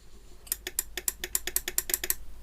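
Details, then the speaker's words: Relay on an electric atta chakki (flour mill) circuit board tested by touching a 9V battery to the coil pins: about a dozen crisp, distinct clicks, relay switching properly and judged OK. "जैसे आप coil की pin पे आप battery वगैरह attach करेंगे तो cut cut relay करने लगेगी।"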